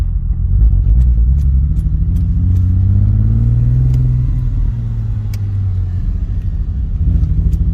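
Engine runs with a lumpy, uneven low throb that stumbles and wavers instead of a steady beat, consistent with a bad misfire.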